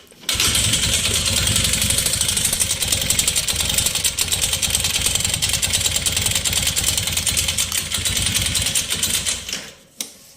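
Single-cylinder motorcycle engine idling with a harsh, uneven metallic clatter from a broken piston skirt.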